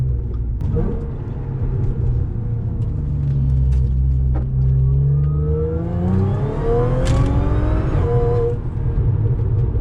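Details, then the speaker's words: Audi S4 3.0 supercharged, after fitting Magnaflow resonated X-pipe: light throttle through the gears, deep smooth exhaust note rising evenly, no rasp or harsh buzz. Normal exhaust note. "So that was like a little bit of throttle just going through the gears, and it sounded absolutely perfect. There was no rasp really, not a lot of drone. It's much better."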